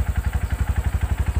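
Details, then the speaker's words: Used Yamaha motorcycle single-cylinder engine inspected when buying: even steady thumping about nine beats a second with no tick or rattle, smooth healthy idle, no smoke. "Nah contoh ini adalah motor Yamaha masih bagus ya suaranya masih halus"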